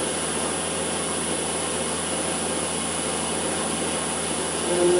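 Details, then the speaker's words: Land Rover LT230 transfer case reported noisy, run on a test rig for about an hour to warm up: steady, even whirr with no knocking, grinding or whine; turns smoothly and sounds healthy. "well I've had this box running for about an hour and there's"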